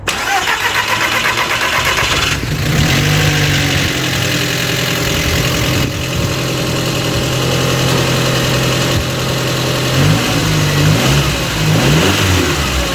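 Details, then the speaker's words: Audi TT Mk1 1.8T quattro 225bhp 6-speed manual after repair of a rattle at idle up to about 2300 rpm; cranks, catches and settles to steady even idle, no rattle; normal idle, fixed. "so it's a fix absolutely awesome i mean that was straightforward though that doesn't normally happen to me"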